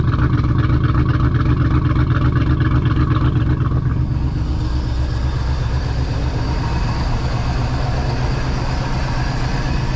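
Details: Project boat, port engine at its first start-up on a water hose, idling and revving: deep even burble with a steady firing beat, revs easing back after four seconds, no knocks or misses; sounds good compared with the starboard engine's suspected rod knock.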